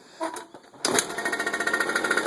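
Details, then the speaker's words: 1999 Suzuki JR50, just rebuilt with a new top end, rings and wrist pin bearing, being heat-cycled to break in and not yet ridden: a couple of starting blips, then crisp, evenly spaced popping. It fires right up and idles normally. "Fires up, runs awesome. Like I said, I haven't even driven this thing yet. I just finished putting the new rings on it."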